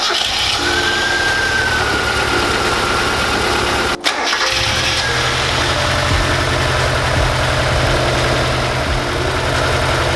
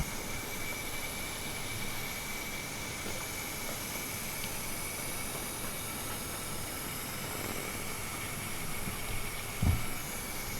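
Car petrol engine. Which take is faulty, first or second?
second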